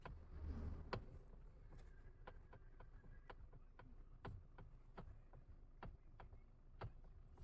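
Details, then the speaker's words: Maruti Swift Dzire VXI with electric power steering: sharp, uneven "kat kat" clicking knocks, about two a second, as the stiff, hard-to-turn steering wheel is turned; the steering also vibrates, signs of a faulty steering rack. "मित्रांनो कदाचित तुम्हाला आवाज हा आला असेल स्टेरिंगचा cut cut cut cut असा आवाज आहे जसा आपण शेअरिंग फिरवतो तर अशाप्रकारे हा आवाज येतो"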